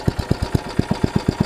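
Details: Troy-Bilt Tuffy rear-tine tiller after reassembly with a new carburetor diaphragm, at full throttle: hard, even thumps about eight a second; keeps running only while choked by a finger, so not drawing enough fuel; owner notes one screw not fully in.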